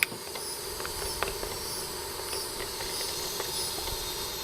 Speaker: what we're doing is the whole system was under a vacuum, and now the refrigerant is going into this place where the vacuum used to be.